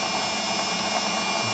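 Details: Bosch 1550W meat grinder (FD 9006) after gear replacement for hum-but-no-rotation fault: steady high-pitched motor whir with even gear drone, no knocking or straining; motor and drive running normally.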